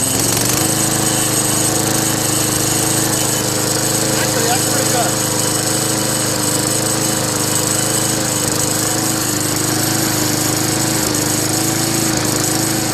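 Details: Craftsman Eager One push mower with 4 hp Tecumseh engine and 20-inch cut, after carburetor replacement: even drone with buzzy metallic chatter at steady speed; suspected loose thin inner sheet metal or bracket vibrating, not yet investigated.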